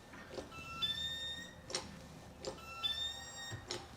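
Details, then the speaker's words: Mercedes 280 SE that wouldn't start, injector on a hand pump tester: sharp hiss-crack bursts about every second, uneven and sputtering; injector opens but sprays erratically. "See, right now it's got a little bit of an erratic spray,"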